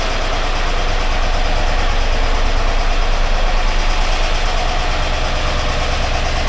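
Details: 1982 air-cooled VW Vanagon Westfalia, restored engine running after starting problems were sorted; steady, even low-pitched idle with a smooth pulsing beat, no knocks or misses. Charging 14 volts, oil light out. Healthy normal idle.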